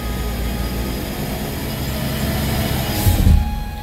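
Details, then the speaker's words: Chevy Spark NG after automatic transmission rebuild, test drive in drive: steady engine drone climbs, then brief dip and surge near three seconds as the box upshifts cleanly and on time; expected first-to-second around 15–25 mph, third around 20–25 mph. "so it's changing excellent it's changing on time and you just check the mileage and you're going to see when it changes gear you will hear that sound when you change gear"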